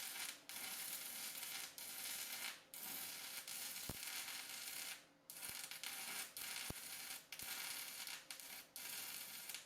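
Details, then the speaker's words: Cheap $35 multi-process welder running 6011 rod: crackling arc hiss keeps dropping out every second or so and sputters back unevenly; the arc won't hold, so the welder fails with 6011. "Boy, that doesn't sound right at all. I'll turn it up to 80. All right, I'm going to call that a no-go for 6011."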